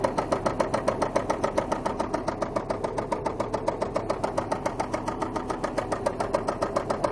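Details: Volvo 850 Turbo engine under driving load with severe, even, sharp metallic knocking at about 3.5 per second; owner suspects persistent oil loss or low oil pressure from a clogged oil sump, unconfirmed.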